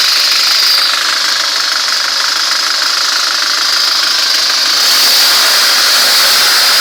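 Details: ZMZ-406 carburetted engine idling: dull, fairly regular knock about three or four per second over a hissy background; suspicious knock, source unclear.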